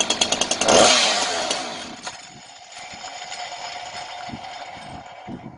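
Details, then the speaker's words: 2-stroke chainsaw that would not start, tested with spark confirmed and WD-40 sprayed into the spark plug hole: pull-cord rattles, then a sharp burst that dies within a second, showing the engine itself is healthy. "Động cơ vẫn hoạt động nếu việc khởi động diễn ra trong giây lát."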